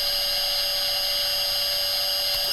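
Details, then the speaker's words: Milo v1.5 CNC mill (LDO kit), first full power-up, VFD-driven spindle at 10,000 rpm switched on and off: steady constant high-pitched whine dropping away at switch-off; normal spindle run, the VFD being the loud part. "Off. On. That's not that loud. The VFD is loud."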